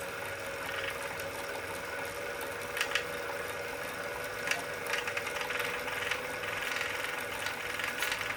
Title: Wahoo Kickr Core Clicking noise